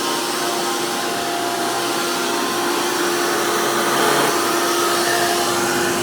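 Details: 2002 Hoover PowerMax II U5246-940 upright vacuum with 12 amp Elite motor, after motor work: loud, steady high-pitched motor roar with strong rushing air from a 20-blade impeller, no surging, grinding or rattle; normal healthy motor operation.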